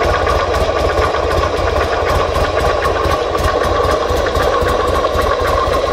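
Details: 2005 Buell XB9SX: steady V-twin idle with a light, regular ticking over the low beat; an engine noise of unclear cause.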